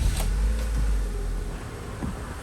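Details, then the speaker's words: Honda, manual transmission, after repair for a loudly buzzing power steering pump and new fluid; wheel turned with only a low, steady engine rumble, no whine or groan; power steering pump now quiet and healthy. "So at the moment we hear we are quietly turning the wheels the silence is super"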